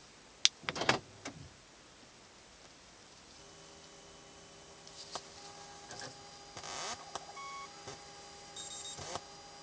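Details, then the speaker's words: BMW 128i coupe parked, engine off, door opened: steady multi-tone electronic whine with scattered ticks that persists even with car started, stopping only after doors close and electrical systems shut off. "so after the lights go off completely the sound the noise stops"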